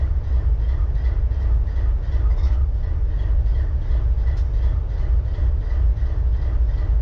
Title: BNSF 4583 IDLING WITH MISFIRE